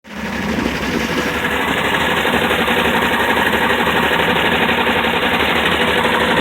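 Engine holds a steady idle with a quick, regular tapping, roughly four per second, running through it: a knock of unknown origin.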